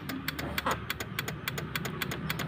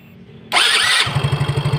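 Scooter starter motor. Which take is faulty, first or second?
first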